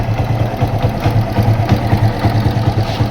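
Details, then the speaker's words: Yamaha FZ-S motorcycle idling: deep thumping single at about three beats a second with light ticking from the top end, louder when riding; tappet noise from excess valve clearance, to be fixed by adjusting the tappets. "तो customer जो है ये sound जो है कान के ऊपर लगता है तो क पर ऑफ कर देते तो दोस्तों यह ट फीट का इशू है"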